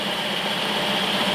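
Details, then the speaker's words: Jeep CJ-7 with earlier dying/no-start from suspected low fuel pressure, after new fuel pump and tank: short, steady idle with even hum, no stumble or misfire; purrs like a kitten, normal idle. "So now, this baby purrs like a kitten."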